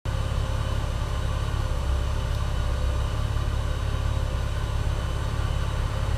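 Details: OMC 4.3L marine engine with a junkyard replacement starter: a low, labored churning turns over at a sluggish, uneven pace and never picks up speed; the starter spins the engine too slowly, though the engine fired, still not running.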